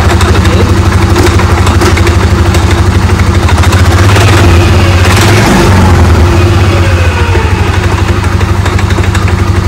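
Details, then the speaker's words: Polaris Sportsman 550/850 ATV, after a clutch repair adding shims (now two) to stop hard shifting and creeping: steady, even low-thump idle with no drag or belt chatter. Clutch disengages properly and the wheel does not turn; normal idle. "that's that's the way it's supposed to be that's stoping now and not turning"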